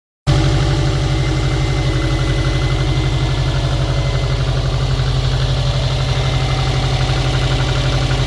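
Cold idle with a fast, hard tapping riding over the low rumble, about four per second, steady throughout; a cold-engine knock.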